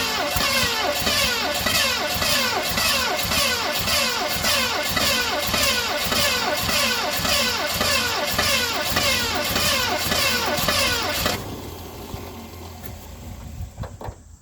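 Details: 1970 Ford Mustang Mach 1, start attempt with fuel poured in, throttle not operated: steady rhythmic cranking nearly two turns a second for about eleven seconds with no firing; cranks but won't start, later found pulling bad fuel from the tank.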